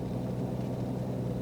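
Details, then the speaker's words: 1997 Jeep Cherokee 4.0 inline-six, cold start that idled at about 500 rpm, after replacing the idle air control valve: low, smooth, steady rumble without hunting or stumbling, expected around 1,000–1,200 rpm; normal idle. "Oh yeah, much better already. Should be idling around 1,000 to 1,200, so that's going to be much better."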